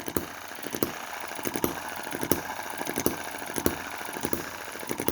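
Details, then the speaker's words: Cheap Chinese M19/EM2 hit-and-miss engine, one month in, carburetor tuned with metal putty, started from cold without pre-warming, owner seeking a replacement crankshaft: sharp firing pops in clusters with quiet coasting gaps about every two-thirds second, healthy hit-and-miss cycle. "and with this adjusted and tightened up we're getting quite a good hit and miss..."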